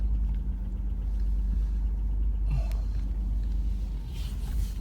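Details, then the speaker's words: Buick restarted after fuel injection fuse reinstalled: steady low rumble with faint light clatter; oil pressure back after a long time without it, check engine light on, cause unknown. "Let's go for a drive. A little bit of clickety clackety. But hasn't had real oil pressure for how long?"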